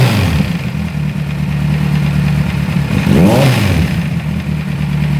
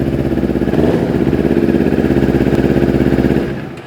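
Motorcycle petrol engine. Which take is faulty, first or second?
first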